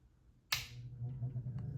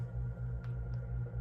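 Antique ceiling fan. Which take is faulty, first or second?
first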